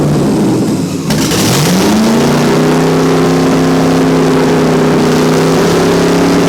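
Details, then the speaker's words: LS-swapped 5.3 2001 Lexus IS300: tape covering a rear intake manifold port came off, creating a large vacuum leak; the engine flares from low idle to a high, steady speed near 4,000 rpm and holds there. "Which would explain why now it's just shot up to 4,000 RPM, because now it's got a giant vacuum leak."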